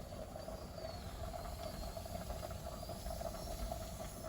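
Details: Pressure canner with chicken drumsticks venting steam for 10 minutes before the weight goes on (15 psi for the altitude); a quiet, steady hiss with a faint constant tone and no sputtering; normal venting.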